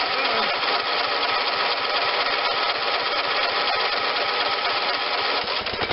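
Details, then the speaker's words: John Deere LT160 lawn tractor with Kohler Command 16 hp engine, first start since acquired. Screams flat out at a constant high pitch with no idle; a sticky governor rod is stuck at full throttle. "okay it started but i think the uh carburetor lever might be stuck on full bore so let me see what's going on with that"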